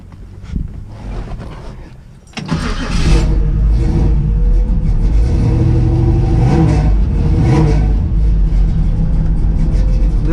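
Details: 1963 Chevy Nova, 420 cubic inch small block, after richening the idle mixture screws and raising the idle back up: the starter whirrs, the engine catches at about two seconds and settles into a steady, even idle rumble.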